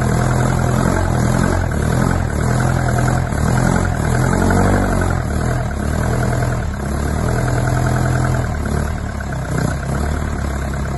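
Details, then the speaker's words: Isuzu Bellett GT-R petrol engine restarted; it catches but revs wander and dip unevenly and it won't settle into a steady idle. "right I've just freed up the throttle stop screw so I might be able to keep it running"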